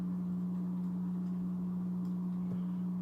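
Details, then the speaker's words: Polar Aurora four-stage canister filter with UV light on a 150-gallon aquarium, running normally; steady low hum without rattles, clicks or surging, though called pretty noisy beside an almost silent Aqua Top filter. "And then when I plug this back in, you can hear it. That's pretty noisy."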